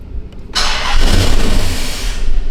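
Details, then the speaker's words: Dodge Magnum R/T V8 wagon: cranks, catches and idles fairly well briefly, then dies instantly; suspected vacuum leak, ignition or crank sensor, check engine light present for diagnosis. "it actually sounds pretty good when it starts up, but it dies instantly. This is very common on a lot of problems."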